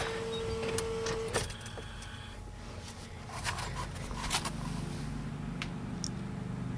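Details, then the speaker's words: 1996 Ford F350 7.3 Powerstroke diesel with electronic fuel conversion, newly installed fuel pump: steady faint electric whir under shop clatter, sounds a lot different; pump running normally. "therefore sounds a lot different and I guess pressure at least it sounds like it your pressure gauge says so"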